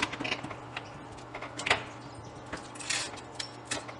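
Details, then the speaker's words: Contactor after removing dirt from its core: a few crisp clicks as it pulls in, fixed and moving core striking, no steady hum or buzz while held on; normal operation. "reparem que não há nenhum moído no contator somente o ruído na hora que ele é trata que dá o barulho do núcleo fixo batendo no móvel"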